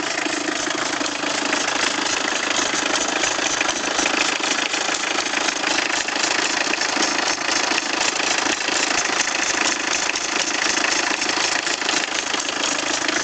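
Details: Peugeot 306 diesel (306D) at idle: a fast, fairly even ticking clatter at about three per second sits over the diesel idle; cause not pinned down.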